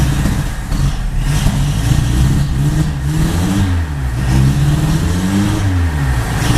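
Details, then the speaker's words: Junkyard 1980 Honda Accord just fitted with Weber 32/36 electric-choke carburettor (Redline K724 kit), early running: idle surges and sags in an uneven gallop; carburettor not yet adjusted. "Alright, a little bit of a gallop at idle here. Still got to set that carb."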